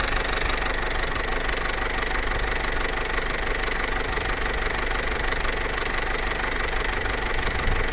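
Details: Vauxhall Corsa C Z14XEP, 86,000 miles, hot idle at full operating temperature: busy metallic rattle about three beats a second; timing chain rattle, quiet when cold and after about 6 minutes idle.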